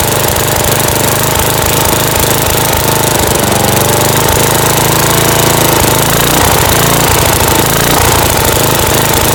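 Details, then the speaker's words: Dynamark 11hp 36-inch lawn tractor, newly acquired, single-cylinder, running without an air filter: fast, steady, buzzy run with rapid even firing pulses, idling high. Owner suspects the missing filter or a carb needing adjustment or replacement. "which could just be from could just be from the fact that we don't have an air filter on there it's just getting a lot of air but you know that carb probably needs adjusted"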